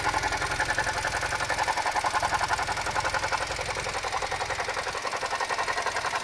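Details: Suzuki Jimny JB64 abnormal noise: steady idle with a fast, even pulsing chatter about four beats per second over the engine; faulty alternator, replaced under warranty with a new one.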